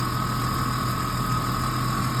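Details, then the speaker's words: Warm-up idle of a 2005 Ford Mustang 4.0 V6 just after water pump replacement, radiator cap off to bleed air bubbles: smooth steady idle hum with faint even whine, no ticks or knocks, no leaks seen; normal idle. "Make sure you get the air bubbles out, everything's running. Don't see any leaks."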